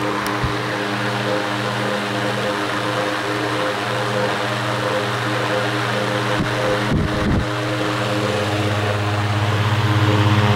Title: loud fan motor